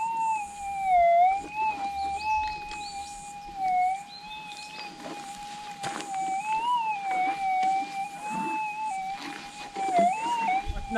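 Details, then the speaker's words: Minelab GPX6000, Normal ground type, sensitivity 9, noisy Warwick ground over a known test target: wavering threshold drifting up and down with no clean target response; ground noise masks the target, stable threshold needed. "i think it's picking it up the problem is you don't know what's a noise and this is the problem with normal ground type here in warwick is that you need a stable threshold to to get whatever it is that there to pull you up"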